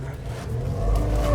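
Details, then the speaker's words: Nissan Primera P12, power steering whine unchanged after bleeding the system; engine revved with steady mid-pitched whine as wheel turns lock to lock; pump only a few months old but judged failing and needing replacement. "It doesn't sound any better or any different than it did before. How annoying. Well, I'm not surprised. The bottom line is the car needs a new power steering pump, even though the one we got now is only a few months old."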